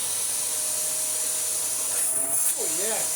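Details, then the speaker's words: Dyson DC54 Cinetic cylinder vacuum after a refurbishment with washed, reassembled cyclones: steady, strong airy rush with a thin high whistle, holding even, confirming correct reassembly. "yeah these do make a very distinct sound with all the air rushing through the Cyclones marvelous that is perfect news it mainly means I put that together properly because if it wasn't that would be a pain"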